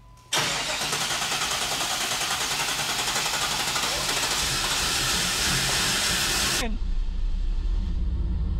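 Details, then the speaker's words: 1993 Chevrolet Camaro Z28 barn find, not started in 10 years, fresh battery, OptiSpark ignition: catches and roars about six seconds on starting fluid, then dies; spark present but no fuel suspected, not confirmed. "Okay. So if the starting fluid works, then that means we have spark but no fuel, correct?"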